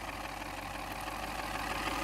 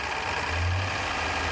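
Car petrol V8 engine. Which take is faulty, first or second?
first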